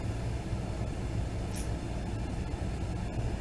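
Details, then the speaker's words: Blower motor on a vehicle, just after the blower and resistor connectors were spliced and replaced. On cold air, face vent: a steady, even low fan hum with no rattle, chirp or surging. This is normal blower operation and a confirmed fix. "It's running. And you can feel it in your face. Oh yeah."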